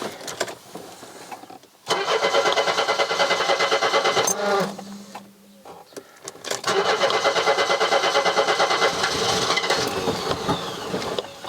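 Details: Mercedes-Benz W123 230E: a long churning crank of about three turns a second stalls, then catches and settles into a smooth, even run; owner suspects the fuel accumulator.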